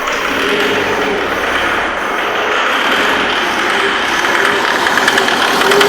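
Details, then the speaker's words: 2008 Jaguar X-Type 2.0 diesel: runs lumpy, uneven, noisy and rattling, smoking, with the test lamp on the fuel pressure regulator feed going dull; rough running from lost power to the regulator. "engine was still running like a pig should we say"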